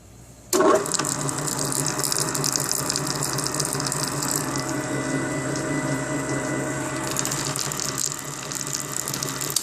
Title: Hobart mixer a120 12 qt gear noise after rebuilt